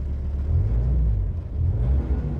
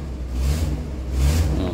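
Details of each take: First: VW Crafter diesel revving after the cracked EGR corrugated pipe was brass-welded: deep rumble rising and falling smoothly through a few blips with no hiss or exhaust leak; healthy, even revving. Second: VW Crafter diesel whose corrugated EGR flex pipe, running from the exhaust manifold to the EGR cooler, cracked from vibration: each rev blip brings a rushing hiss that swells with engine speed, an exhaust leak.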